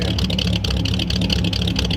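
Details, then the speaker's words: 1938 Ford convertible V8 with new stainless true dual exhaust: uneven, loping idle with a stumbling beat, like a big cam, car shaking, slightly black fuel-smelling smoke; rich carburetor loading up the longer it idles, needs carburetor adjustment. "Yeah, might be loading up a little bit too. Yep. It makes it sound like it's got a cam. It does. Car's shaking too."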